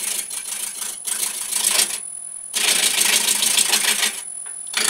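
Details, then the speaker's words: Woodturning a square blank between centres into a round one: bursts of rattly, hissing cutting noise with a fast chatter. The intermittent cut is the out-of-round corners hitting the tool, and the clunk turns to a high hiss once it is round. "now as you get round more round you'll hear it goes from a clunk clunk clunk sound which is it the corners hitting it"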